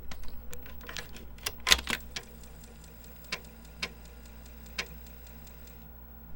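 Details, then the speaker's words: 35+ year old Amiga 1000 floppy drive, disk inserted and mic held close: crisp, even head-step clicks and soft motor hum with no scraping; drive sounds healthy and functional. "But this drive does sound pretty good. I like the sound that I'm hearing."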